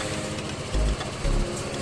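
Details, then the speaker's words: New GPX Drone scooter with a newly fitted MAS anti-theft alarm, started by remote without a key: soft, low, steady idle murmur with no knocking or rattling, rideable as normal; normal idle. "อ่านี่คือเครื่องติดแล้วนะครับเครื่องติดแล้วก็คือสามารถขับขี่ได้เหมือนกันครับตามปกติรับไม่มีผลใดๆทั้งสิ้นครับ"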